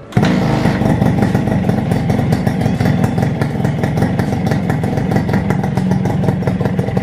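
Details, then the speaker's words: Suzuki Satria Hiu two-stroke engine after rebuild with carburetor refitted, previously very noisy: quick, even two-stroke popping at idle with clean throttle blips, no knocks or rattles; normal smooth idle. "luarnya halus [Tertawa]"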